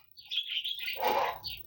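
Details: Imported 50-amp automotive sound power supply, switched on with its LED unlit and no 12 V output. Irregular high-pitched chirps in short bursts with no steady hum: the switching supply squealing as it fails to start. Cause suspected, not confirmed.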